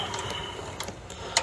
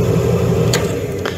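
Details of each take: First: Furnace with no heat, draft inducer jumped to 120 V works; sharp irregular relay clicks from control board with no motor hum, inducer never starts, bad control board. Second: Furnace with no-heat complaint, draft inducer motor jumped directly to 120 volts: a steady low hum and smooth, even drone with no rubbing, grinding or rattling. The inducer motor works fine; a bad control board is suspected.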